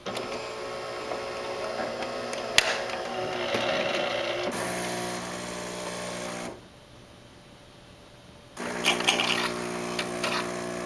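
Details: Saeco Vienna Plus espresso machine, about six months old, while brewing: harsh whine and thin high screech over the pump drone, not every cup; persisted after cleaning and authorized repair, machine replaced.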